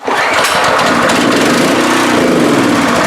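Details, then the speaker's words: Free pressure washer: on starting spray it catches sharply and races a few seconds at a high, even buzz; carburetor to be inspected next. "And it seems to be working. If I could get it to just run just a little bit, I'd be happy enough to get into that carburetor and see what I need to do there."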